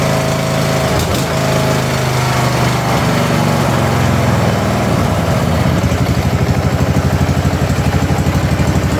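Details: Ariens/Husqvarna garden tractor after carburetor, intake manifold, head gasket and flywheel replacement; engine catches and settles into steady even single-cylinder chug about two beats a second; normal running.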